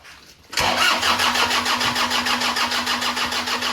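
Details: Toyota Kijang Innova diesel: starter turns the engine at a normal, even chug, about three compressions a second, but it never fires (cranks, no start); suspected fuel-system causes such as injectors, low fuel pressure, dirty fuel filter or air in lines, unconfirmed.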